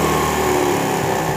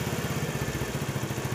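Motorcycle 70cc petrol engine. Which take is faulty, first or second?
first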